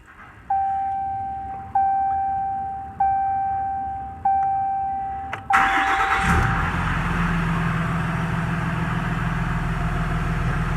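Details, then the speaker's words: 2017 Ram 2500 Cummins diesel, G56 manual with Valair quiet organic dual disc clutch (QG56DDSN-ORG), after replacing ATF+4 with 7 quarts Mobil Delvac 50: cranks, catches, settles into steady even idle, clutch out, gear rollover nearly silent. "yeah that's almost silent Wow okay so I saw an improvement as soon as I started it up and let the clutch out"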